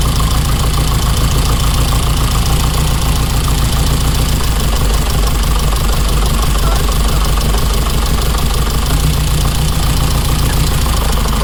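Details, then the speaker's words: 1987 car at idle: lumpy, uneven idle with a steady deep stumble about three times a second, one cylinder dropping out; dead-cylinder misfire, spark plug or injector suspected, unconfirmed. "So this cylinder over here is the one that's definitely not firing at the moment, and whether it's a spark plug or an injector is hard to tell because I can't get the spark plug out."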